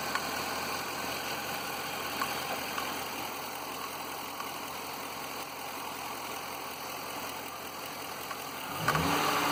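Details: Grand Marquis V8 at idle with an undiagnosed knock, steady at about four per second, that does not follow engine rpm and stays unchanged through a brief rev; cause unknown.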